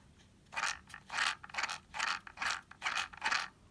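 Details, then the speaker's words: Traxxas Slash 2WD RC truck converted to Velineon 3500kv brushless motor, 23-tooth pinion, gear mesh set with slight play, spun by hand: light even gear whir, no catches or grinding; smooth gear mesh. "i like there to be just a smidge of wiggle room so just a tiny bit i don't know if you guys can hear that just go ahead and listen just make sure it's smooth all the way around"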